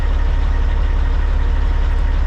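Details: Semi truck with a Cat diesel after an intermittent no-start: steady, low, even idle with regular firing pulses and no knock or miss; healthy-sounding truck.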